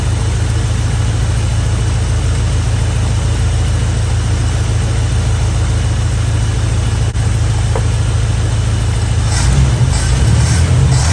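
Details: First start of a Chevy square-body barn-find V8 with a 650 Edelbrock carburetor that is loading up. It runs evenly with a deep rumble and a rev, no knocks or ticks, and sounds healthy though it needs tuning.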